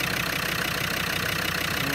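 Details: Land Rover Discovery Series 2 TD5 diesel, which came in as a crank-no-start, now idles with an even, steady clatter and regular beat, with no misses or knocks.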